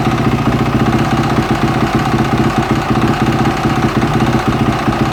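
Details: Yamaha 450 YZF engine at idle: busy, uneven idle with a fast rattling tick over the firing beat; the owner asks if the engine noise is abnormal. Abnormal noise, cause not identified.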